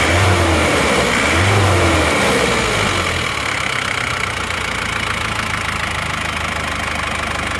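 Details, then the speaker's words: Isuzu Panther diesel on a used replacement block, fully warm, temperature stable at 85°C: a short rev dies back to an even idle clatter with no knock or miss; exhaust smoke nearly gone; sound warm engine. "jadi kondi"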